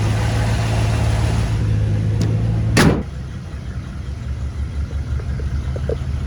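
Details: 1957 Chevrolet 210 sedan with 350 V8 and Turbo 400, recent mechanical upgrades: deep, steady burble idles evenly, then a sharp thump and a quieter, lumpier rumble; normal idle, no fault indicated.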